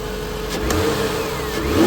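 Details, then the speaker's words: Mazda Tribute after replacing all six ignition coils: revs up cleanly from idle with a smooth rising pitch and no stumble or popping; the new coils appear to have fixed it, normal revving. "Fresh new coils. There's 3 there, there's another 3 in the box, but whatever. Well, so far it's looking like the new coils fixed it."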